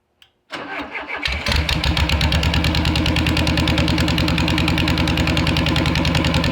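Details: Beetle engine in its new home after fuel system redo and slight timing adjustment, fuel pump primed beforehand: brief crank, catches at once and settles into steady even idle; normal start and idle.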